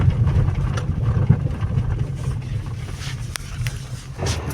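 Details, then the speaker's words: Hyundai Accent: irregular low knocking and rumbling from the steering, attributed to a worn steering arm shaft bearing. "Hyundai Accent steering arm shaft bearing noise feel like that."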